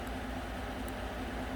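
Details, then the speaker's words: Normal idle, quiet steady hum, no knocking or whine, of a 2014 Chevy Silverado 5.3 V8 after oil pump replacement for code P06DD; toggling the pressure control solenoid moves oil pressure 40 to 54 psi at idle, now working fine. "40 to 54 so 14 pounds of difference and that's at an idle i'm going to save this list but it seems like it's working fine now"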